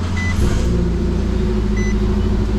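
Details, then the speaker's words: 2014 Nissan Versa, 105,820 miles, at startup during oil service: steady loud deep idle rumble, far louder than stock, like the muffler is off; exhaust leak or missing muffler suspected, not confirmed. "kind of sounds like the young folks make it sound on purpose with a muffler off of there some people pay good money for that"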